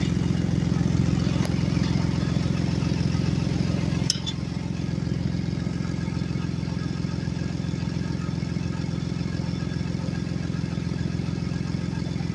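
Steady idle with a quick, even puffing beat of about three per second riding low under the engine; sounds like an exhaust leak. Cause suspected, not confirmed.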